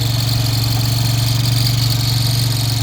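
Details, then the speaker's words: Loader rickshaw engine: fast, even ticking about four per second over a deep steady idle; tappet noise, mechanical problem inside engine, oil change advised. "यह देख देख लो दोस्तो अगर ऐसी आवाज आ रही है इस टपट की आवाज ट की"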